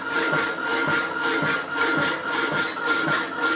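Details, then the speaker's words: Rapidor power hacksaw, damper now working to lift the blade on the backstroke, still on old blade used without damping: even rasping cut strokes just under two a second, quieter on each return; saw working perfectly. "working perfectly you can tell the noise it makes it's lifted on the back"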